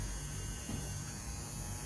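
Steady low even hum with no scraping or crackle: the small servo motor runs smoothly on its new brushes.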